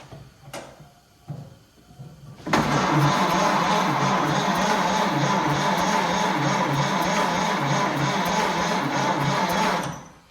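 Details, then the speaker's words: 1928 Ford Model A, 201 cid flathead inline-four, first start attempt after 17-18 years stored indoors, choke pulled, timing being tried in several spots: about seven seconds of even cranking at roughly 2.5 beats per second, never catches; no spark found. "well i've tried the ignition timing in several different spots doesn't seem to lock in yet"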